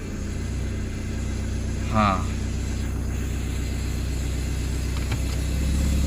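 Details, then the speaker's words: Hyundai Matrix 1.6 automatic, owner complained it would not move in D or R when cold and only hummed; after topping up fluid: steady idle, a soft bump as reverse engages, then an even hum; reverse engages normally. "apa yang saya nampak sekarang nih bila saya masuk Ribas dia punya efek terus ada artinya iya"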